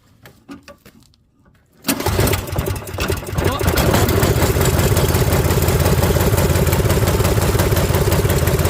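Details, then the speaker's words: Toro 721R single-stage snowblower, unused for a few years, cold start after four primes with the choke pulled: recoil pulls, then the engine catches and settles into a steady, even idle with no knocks or misses; running healthy. "All right, push her in. Running good. Sitting."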